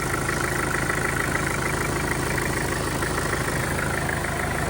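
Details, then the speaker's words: Mitsubishi Pajero Field Master diesel after replacing the timing chain and guide, plus valve guides, seals and oversize piston rings: steady, even idle with no chain rattle, slap or ticking; now quiet and running well; normal idle. "Okay na siya. Ganda na ng andar niya."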